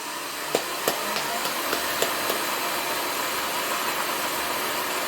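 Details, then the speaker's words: Shopsmith reassembled with covers on after the RPS error repair, started at its usual 3450 setting: a few light clicks, then an even airy whir with no clunks or knocks; running quiet and smooth, no belt readjustment needed. "nice and quiet sounds smooth no clunking noises"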